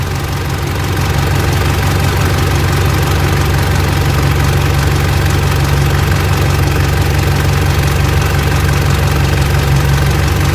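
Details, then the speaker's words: Mitsubishi L200 Triton 3.2 diesel hot at working temperature, idling: fast uneven metallic clatter over the drone; timing chain knocking after warm-up, mechanic says chain expands; front cover to come off, chain kit to be replaced. "Então depois que ela esquenta, depois que ela aquece o motor, a corrente de comando tá batendo. Por quê? A corrente dilata, né? Aí começa a bater."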